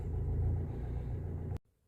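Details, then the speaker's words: 2015 Fiat Fiorino diesel van that was dead with no lights, fixed by reconnecting battery and earth strap after four new glow plugs and oil change: deep, even diesel rumble, no misfire or knock before shutoff; starts perfect, no warning lights. "No lights. Starts perfect. Lovely."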